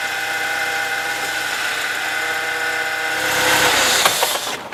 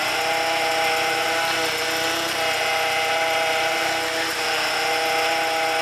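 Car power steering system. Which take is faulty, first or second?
second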